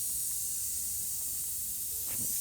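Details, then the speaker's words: VW Beetle tire after screw removal and cleaning the hole with a reamer before plugging: steady, sharp hiss of air escaping through the puncture. "can hear it hissing a little more. It's cleaned out."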